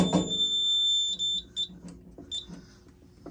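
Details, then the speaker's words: Simplex 4004 fire alarm panel with Simplex TrueAlert and pull station, coding set to continuous; after closing the panel a shrill steady piezo tone then broken short chirps, the panel trouble signal. "Oh, come on, really? It's gonna do the trouble."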